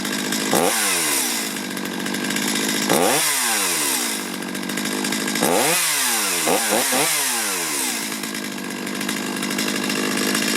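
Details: Stihl chainsaw that had been hard to start and bogging, after adjusting the carburetor idle and low-speed screws: crisp throttle blips snap up to a high scream and drop cleanly back to a steady idle, now running healthy.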